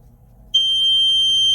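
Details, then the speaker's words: 1996 Sea-Doo Speedster with MPEM module removed and rewired, battery connected; heat sensor lead grounded via alligator clip for test: quiet, then a steady high-pitched tone, overheat buzzer working properly. "At the other end here, if I ground this, it should set off the buzzer."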